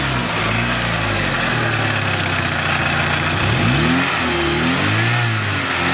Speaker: my pretty good sounding for a 250 car huh nice